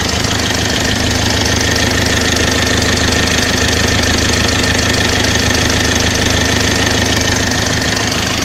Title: Стук в моторе om601 2,3d